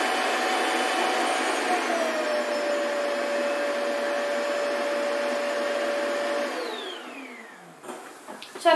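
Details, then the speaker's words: Shark Wandvac Self Empty WS642AE, new, docked: steady high airy roar with constant whistle for several seconds, winding down smoothly; normal self-empty cycle. "I'm guessing every time that it goes on its dock, it'll self-empty."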